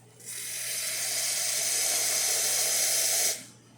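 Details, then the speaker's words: Profitec espresso machine after a full service, boiler at about 1 bar, hot water tap drawing: a strong steady hiss that starts cleanly and stops crisply as the pump kicks on, a normal hot water draw. "That's working. You're going to hear that pump kick on. You're going to see all your steam power leave just because it loses a lot of steam running through this hot water tap."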